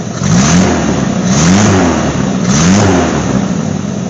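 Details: GMC Sonoma after replacing a holed muffler with a used straight-through glass pack; even, deep exhaust burble at idle with a few short revs, no puffing or ticking from leaks; exhaust sealed.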